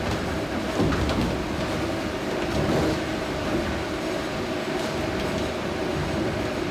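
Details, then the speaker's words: Water-wheel-driven 1797 grist mill at Union Mills Homestead, Carroll County, Maryland, grinding corn; even rumbling churn, soft rhythmic clatter of wooden gearing, corn trickling, little vibration, no knocks or surges: normal running. "No, but the sound is beautiful. Yeah. It's like, And you can see there's not much vibration."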